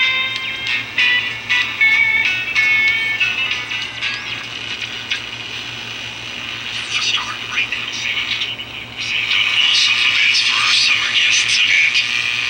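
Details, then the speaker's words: Vintage Strauss 5-transistor AM pocket radio on a 9 V battery, after replacing a capacitor: a tinny but clear station plays steadily without dropouts; normal reception restored. "but that one fixed it that one cap was all that was preventing this thing from receiving anything"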